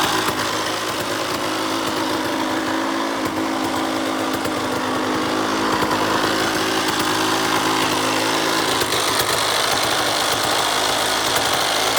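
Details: 2003 KTM SX85 two-stroke motocross bike at high revs: steady buzz with rough uneven rattle from the gearbox area; shifts fine, owner unsure if gearbox damage or clutch.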